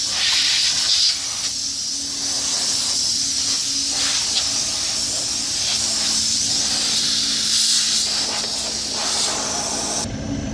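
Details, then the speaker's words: Small CO2 refrigeration rack, isolated section being degassed before drier cartridge replacement: continuous high, airy hiss of escaping gas with no pulsing or sputter as pressure drops; controlled CO2 venting. "donc on va dégaser cette partie là là on va la dégaser pour qu'on puisse manuter dessus à tout de suite"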